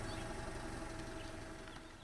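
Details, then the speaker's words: 2000 Honda Civic LX, fully warmed up, after a head gasket replacement following overheating: steady, even idle hum with no knocks, misses or ticks. There were no DTCs and all monitors were complete. Normal idle. "all right this thing is fully warmed up running good let's take it out for a spin try to get that last admission monitor to set"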